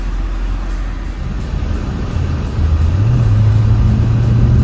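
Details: C7 Corvette V8 after head gasket replacement, misfire fixed and both bank 1 and bank 2 sensor 1 O2 sensors working again, fuel trims near zero; deep, even V8 rumble revving smoothly with no stumble or miss, normal running.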